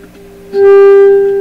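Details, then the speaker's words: Canadian General Electric JK-66 tube radio, testing after reinstalling the 2nd IF transformer, probing at a tube plate: a clean, strong steady tone with no buzz or distortion; signal passing normally. "signal rate there as expected not distorted or anything very powerful"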